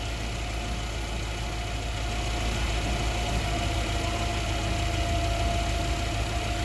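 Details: Yale GLC050 forklift, Mazda F2 throttle-body injected engine, lean-at-idle code 522, good O2 switching: steady even idle, smooth low rumble, no misses or stumbles; normal idle.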